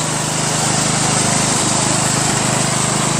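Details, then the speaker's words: Craftsman LT1000 lawn tractor (1996), finished after a new drive belt, deck refit and greased spindles; idles at a steady, even putter with no misses or knocks; normal idle. "Craftsman Lt1000 from 1996. Got it for 20 bucks. It drives, it mows, it runs, it starts, and the lights work."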